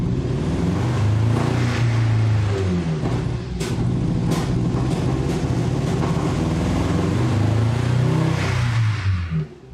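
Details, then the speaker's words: Turbo engine-swap conversion with no idle, fuel pressure at three bar: the engine runs lumpy and uneven, surging and hunting without settling. Fuel pressure seems not to be the main issue; rough running, will not idle, cause not yet found. "all right I'm just going to try to start it up a little bit still just runs like a [ __ ]"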